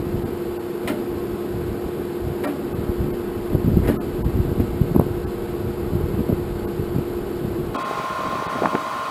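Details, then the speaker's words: 1947 Farmall M tractor, first start attempt after rebuild with jump box and charged battery; steady low starter drone with scattered uneven clanks, engine turns sluggishly and never catches. Owner suspects the battery is bad; not confirmed. "well guys I don't think that battery was any good because I could not get that thin"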